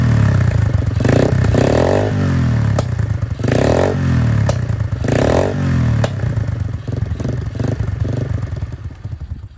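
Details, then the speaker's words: Free Dirt Master 110cc pit bike, fresh fuel, broken choke, partial choke: small uneven revs that stumble between blips and fade out; runs roughly and dies, carburetion not right yet. "well that shows it runs it did very far a bit then um but nothing we can't sort out"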